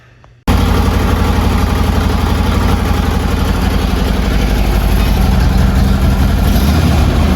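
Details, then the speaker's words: Harley Twin Cam, first start after a Drag Specialties clutch install: a steady, even cold-start fast idle with a deep, regular V-twin lope at about four beats a second and no knocks, waiting for the idle to come down; normal. "Gonna wait for the idle to come down a little bit."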